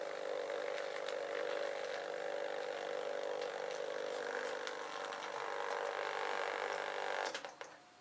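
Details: Old recorder after cleaning, with parts repositioned for better tracking and speed set about right: steady mid-pitched motor whir with light mechanical rustle, even until it stops. Runs smoothly and is fully operational.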